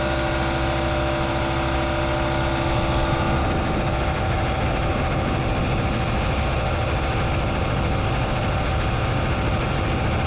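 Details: New air compressor (rated 15.5 A) on a newly installed 240 V 30 A basement circuit: steady low hum with even chugging settling after a few seconds of start-up; running smoothly and healthy.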